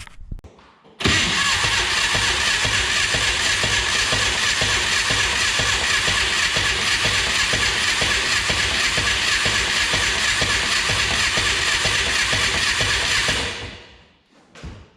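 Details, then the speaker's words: 1962 Berry Mini T kit car with a VW engine, sitting in a garage since 2018, cranks evenly for about twelve seconds without firing. Crank-no-start. "as you've seen there apparently she's not going to go easy"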